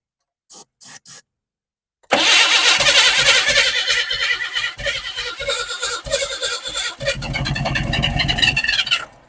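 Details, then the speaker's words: 1988 Chevy S10 Blazer, abandoned, first start with the fuel line not yet connected: a few short cranks, then it catches and runs ragged for about seven seconds on fuel poured into the carb before dying, from fuel starvation. "if I can get two or three seconds of running out of it then I'll feel better about going ahead and hooking up this fuel line"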